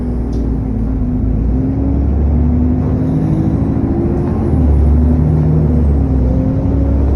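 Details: SN61 DDE E210, driving on a dead run back to MB: deep drone with rushing cooling fan thrash and a faint thin turbo whine climbing with revs; cause unknown.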